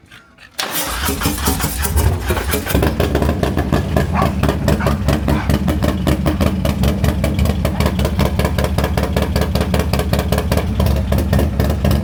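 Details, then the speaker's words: Harley M8 128 V-twin rebuilt with spare parts, making 168 HP, running without a balancer: starts at once into an even, loud lope with steady firing pulses, vibration, and barely any lifter noise; healthy engine. "The lifters hardly made any noise. >> Yeah, this one I can just hear the the vibration with no balancer."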